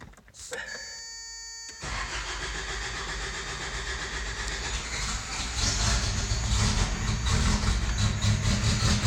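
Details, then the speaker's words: 1991 Toyota 4Runner 22RE with an intermittent single-click no-start, brand new starter, battery charged to about 12.65–12.8 V: a chime, then the starter cranks and the engine fires and climbs to a steady idle; it starts this time. "and it started this started it wasn't starting before of course I started recording and it starts yeah it's starting it every time"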